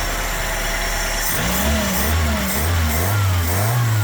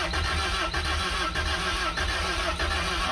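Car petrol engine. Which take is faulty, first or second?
second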